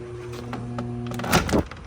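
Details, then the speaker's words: LG DLEX7600KE steam electric dryer won't start: steady low motor hum with no spin-up, then a couple of thunks; nothing lodged in the blower, drive motor seized and replaced with a used one. "I don't know if you can hear that, but that sounds like a motor locked up. There might be something in the blower."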